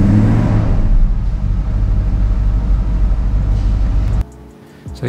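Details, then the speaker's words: 1990 Mercedes-Benz 500SL R129, M119 5.0-litre V8: fast even idle held steady about four seconds then cut off; idle noticeably high; starts unreliably and when warm sputters, misfires and stalls. Cause not confirmed. "sounds like a v8 all right but while the car appears to start all right there are some issues under the hood it doesn't start reliably all the time and when it does the idle speed is rather high"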